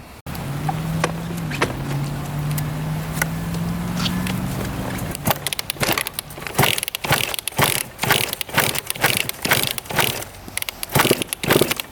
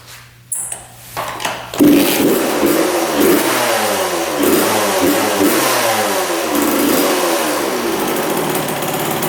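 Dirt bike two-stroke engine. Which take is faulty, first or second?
first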